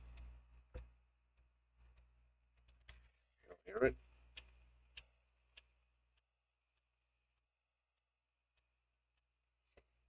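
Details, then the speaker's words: Macintosh IIvx floppy drive after cleaning and service: sparse dry clicks and a brief buzzing seek burst as the head steps during a Special Erase format, working normally. "It's moving around there. This is the 1. This is the 1.4 meg, 1.2 meg, whatever you want to call it."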